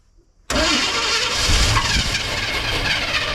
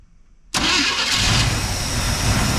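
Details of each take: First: Abandoned square-body C10 with gas poured down the carb and wires jumped to the battery: while cranking, touching the coil/HEI makes it catch into a rough, uneven, sputtering run with hiss; it fires only briefly on poured fuel. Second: Abandoned square-body Chevrolet C10 with the fault traced to the ignition module or external ignition module: silence then catches straight away and settles into a steady, even run with no misfire; normal start and idle.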